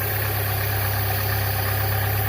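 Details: 2005 Chevy Cavalier 2.2 four-cylinder, 322,000 miles, after replacing intake gaskets, oil pressure switch and crank sensor for P0301 misfire and starting problems: low, steady idle with even beat, no knocks, ticks or misses; idling smoothly and healthy.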